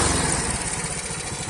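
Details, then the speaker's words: Very old Honda Astrea Grand motorcycle leaking oil, smoking, burning oil fast and fouling plugs: a rough idle with uneven, lumpy low thumps from a worn cylinder and piston. "Suaranya sangat kasar."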